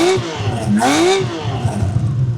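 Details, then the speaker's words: 1979 Honda CBX 1000 inline six, about 10,000 miles, apparently restored, fully warmed after a few minutes; smooth high-pitched wail climbing and falling cleanly with each throttle blip, no misses or rattles, like a little F1 car; normal revving. "So, there we are. That iconic sound of that six-cylinder engine. It's like a little F1 car."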